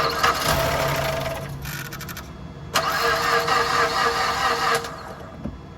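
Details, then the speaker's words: Mazda towed in completely dead, cranking while measuring starter current draw: laboured, uneven cranking about two turns a second that never catches, battery voltage dropping below 8 volts so no power at engine ECU; slow crank, no start from low battery. "As you can hear, our vehicle won't start, and the reason for that is we've got a voltage drop less than 8 volts. Therefore, there's no power at the engine ECU, all because of the battery."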